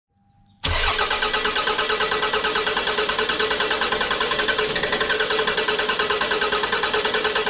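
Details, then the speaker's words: 2001 Toyota Camry 4-cylinder 5S-FE, cold engine: starter churns in a long even beat of about three pulses a second, turning over forever; hard cold start from a faulty coolant temperature sensor (idle control valve also dead). "when the engine is cold it turns over forever and doesn't catch up it does catch up eventually and starts but it takes forever"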